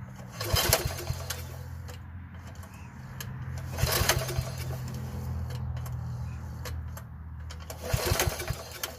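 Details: Troy-Bilt 33-inch walk-behind mower bought at auction, with a mouse nest inside and a recoil that sometimes slips free: three pulls about four seconds apart, each a short chuffing burst that dies away; it turns over but never catches.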